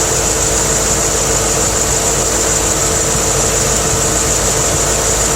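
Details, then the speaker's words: C4 Corvette idling after its water pump was replaced: steady, even idle with a smooth hum and no rattle or tapping. The earlier rattle noise is gone and there are no leaks, so it sounds healthy. "Can you listen to that? See how quiet it is? No rattles."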